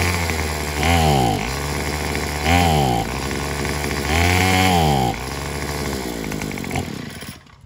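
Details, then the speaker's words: Craftsman WS210 four-stroke weed eater (Senix) after carburetor replacement: revs up roughly every 1.5 seconds, then sags and falters, sounding fuel-starved; bogging under throttle, owner suspects a partly blocked fuel line or the muffler. "because it seemed like it sounds like it ain't getting no fuel enough fuel"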